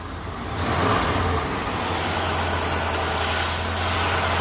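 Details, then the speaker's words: 1989 Jeep Grand Wagoneer started in park, usually needs two pedal pumps when cold: engine catches and settles into a steady, even low hum with no knocks or misses; healthy. "You can see it's, I mean, usually if I leave it sitting overnight or something, you usually have to pump it like 2 times. Then it will start right up like it did."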